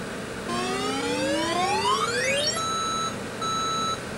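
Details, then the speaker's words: 1983 Atari Crystal Castles arcade PCB tested with a Fluke pod: a rising chirp then two steady high beeps give a bad power supply warning, and the pod LED is unlit. A bad socket was suspected, and replacing three sockets, including the CPU socket, lit the LED. "But, I got a bad bad power supply warning and I got no LED on my fluke."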